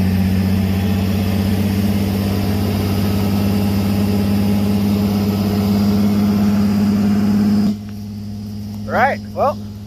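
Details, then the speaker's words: Ford Ranger engine after hydrolock, oil cleared from cylinders and plugs refitted, first start: steady even low idle hum with no knocks or ticks; normal idle. "you guys hear it it's a runner you managed to get everything out of the cylinders cranking over engine doesn't sound to be too hurt or doesn't sound hurt actually i don't hear any weird noises it is uh island pretty smoothly right now"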